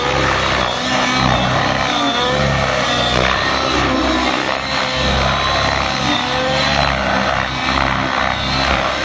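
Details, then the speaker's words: Nitro RC helicopter in flight with a nearly empty tank, the fuel frothing during hard maneuvers: the engine note wavers and surges, losing its crisp pitch as the tune fades. Lean running from fuel foaming in a low tank. "Now about the time is when you can get confused and go, well, what happened? The tune just kind of sort of went away. Yeah, the tank's getting low, right?"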